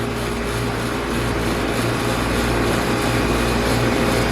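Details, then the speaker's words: Air conditioner outdoor condenser after compressor replacement, R22 system, restarted after letting gas settle: steady even hum, smooth fan whoosh, constant low tone, no rattles or cycling; running optimal between 50 and 60; normal running. "sounds good running optimal between 50 and 60. it's going to drop"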